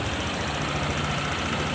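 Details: Honda PCX150 scooter after top-end rebuild (damaged valves had harmed cylinder, piston, rings; valves set intake 0.10, exhaust 0.18): previously hard to start, stalled when slowing, needed constant throttle. Now a soft, steady, even idle with no throttle and no misses.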